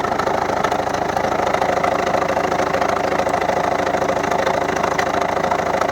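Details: 2011 Volvo V70 1.6D (Ford/PSA HDi TDCi) diesel idling with sharp regular knock about three per second; second injector from right had leaking copper sealing washer, well flooded with engine oil; replacing washer stopped the knock.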